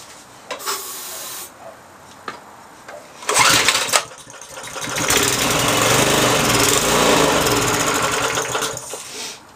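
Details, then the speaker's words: Briggs & Stratton 3.5 hp single, probably over 10 years old: clanks, then runs a few seconds on sprayed ether, revs rising unevenly, then dies; carburettor suspected blocked by stale gas, later cleaned and jammed choke fixed. "t a clean because it could be blocked obviously that's what happens when gas is been sitting in the tank for a while turns it to like a syrup honey you're looking stuff blocks up things"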